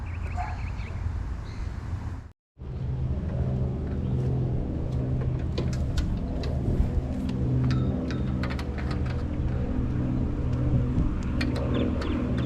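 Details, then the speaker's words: 1974 Dynamow single-cylinder mower, got running well over the last week and firing on the first pull, mowing the front yard: a steady, even chug with no misses, knocks or rattles. It is running normally. "But yeah, I figured I guess just got this thing running pretty good this last week."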